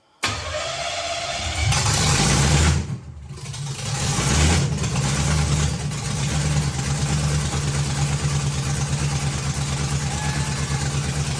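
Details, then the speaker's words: 1957 Chevy with newly installed hot-rod 327 V8 replacing an LS, first start in 15 years, no coolant or transmission lines yet, poor carb: loud, lumpy but steady cammy idle, runs healthy and even; normal idle. "oh my God it sounded so good oh that sounds 10 times better than the ls ever sounded"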